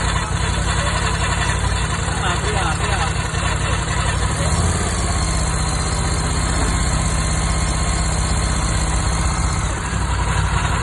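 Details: Ducati Scrambler 1100 Pro idling: steady gritty grinding rasp through the mechanical clatter, which began after a few miles; owner asks what it is.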